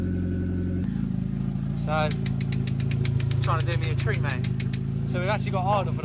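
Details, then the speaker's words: CA18DET-swapped JDM Mazda Miata, first start after fixing a vacuum leak and adding coolant: steady, even idle from first catch with no misses or knocks, slight smoke burning off; cold-start problem solved, sounds healthy. "first time and it sounds sounds healthy sounds right little bit of smoke coming off over there but that's fine that's just burning off all the stuff"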